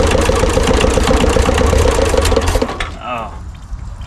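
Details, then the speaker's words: 1970s Kubota L1500 two-cylinder diesel tractor after 20 years sitting, with glow plugs: hard clatter at full throttle for a couple of seconds, then chuffs out; not getting enough fuel, owner suspects fuel line and low compression. "It didn't get enough fuel. Well, it's started up, but it's not it's not getting enough fuel."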